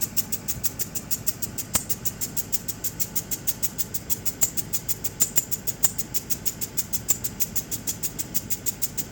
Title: Landrover Discovery 2003 making a clicking noise what could be the problem. How do I fix it